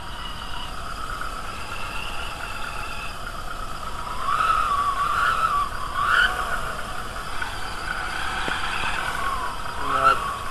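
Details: VW A3 2.0L ABA, timing belt with incorrect tension: steady high whirring whine over the idle, swelling slightly with revs; that kind of belt tension is noisy.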